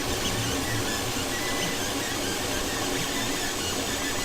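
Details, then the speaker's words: Fokoos Odin-5 F3 folding 3D printer with silent drivers, new, during its first print: continuous soft hum with faint shifting, almost tune-like tones from the stepper motors; quiet, smooth and normal. "that's what it sounds like the whole time it's printing this it's like so quiet it's like a little hum"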